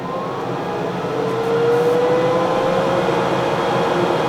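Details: K40 laser after replacing the faulty power switch: even hum with a smooth, slowly rising tone and the earlier harsh buzzing gone; running cleanly and normally.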